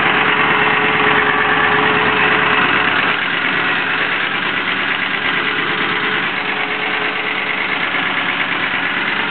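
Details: Engine idling after an exhaust leak was fixed: a regular light tick at roughly three per second rides over the engine; abnormal noise remains and the cause is not yet known.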